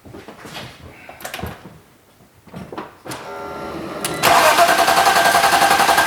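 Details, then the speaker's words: BMW E39 520i with stock M52B20 engine on a Speeduino MAP-based plug-and-play ECU, first cold start: quiet cranking sputters, then catches and settles into a steady, even idle with a regular pulse; starts and runs fine. "yeah it now runs on speeduino."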